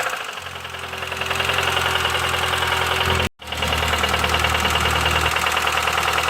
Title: Bruit moteur essence - Bruit Claquement moteur - mecanique mokhtar - من اين - d'où